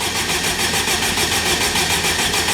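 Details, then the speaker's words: Forged, turbocharged Honda K20 engine in a Wildcat buggy, cranked before its first start with ECU plugs unplugged so it can't fire: a steady, fast starter churn with even pulses, cranked to build oil pressure. "so I'm going to unplug one at plugs on ECU so it can't fire up and I'm going to crank it till oil poite goes out just so we've got oil pressure"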